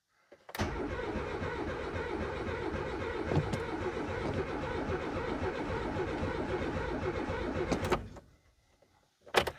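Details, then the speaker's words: Renault 19 GTS Chamade 1.4 Energy, restoration project: starter churns about seven seconds at a slow uneven beat, never fires; fuel pump not heard priming, choke not yet pulled; cause unconfirmed. "you know what I don't hear folks I don't hear the fuel pump I do see the needle Rising a little bit but I don't hear the fuel pump priming"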